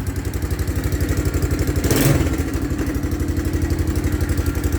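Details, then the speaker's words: 1984 Honda Big Red ATC three-wheeler, clean original condition, dead battery so not charging: steady single-cylinder idle around four beats a second, even and unhurried with one small blip, purring like a sewing machine; normal healthy idle. "Oh, listen to that purr. Like a 30-some-year-old Japanese sewing machine."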